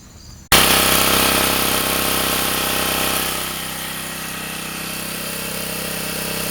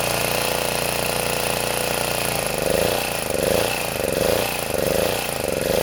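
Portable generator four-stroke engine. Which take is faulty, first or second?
second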